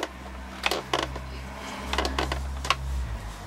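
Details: Thetford N175 caravan fridge after replacing the mains heating element (code 1 fault), switched to gas: sharp spaced clicks, about four in three seconds, over low hum; normal igniter sparking to light the burner.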